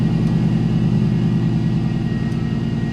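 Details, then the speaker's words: 2020 Chevrolet Silverado V8 at about 60,000 miles, fraying belt: faint steady supercharger-like high whine over an even idle, caused by a worn idler pulley bearing. "You might have heard it in the last few videos. cuz it sounds like a freaking supercharger, which is cool. It's not cool though if it's not a supercharger and it's a pulley."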